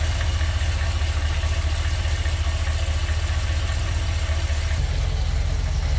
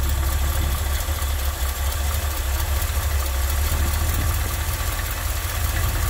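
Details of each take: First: Ford F100 V8 being tuned by vacuum gauge, fuel smell at the exhaust: deep, steady idle with a slightly lazy, loping beat, no misses; carburetor idle mixture too rich, screws need turning in to lean it. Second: Carbureted Ford F-100 in Park, about 12 inches of vacuum, idle screw being lowered by ear: deep, steady, relaxed low rumble without stumbling; exhaust smells of fuel, running too rich, mixture screw next.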